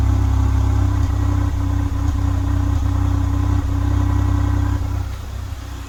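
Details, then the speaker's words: Nissan Almera 1.2 three-cylinder, warmed up, has a deep uneven exhaust idle that stumbles about once a second from a misfire, with a complaint of stumbling and stalling; ignition coils are to be checked first. "เครื่องสะดุดฟังข้างเยอะเลยทีเดียวอ้ะเดี๋ยวมาดูที่ตัวเครื่องเมื่อกี้เครื่องมันวอร์มนะมันเลยแรงปั่นมาก"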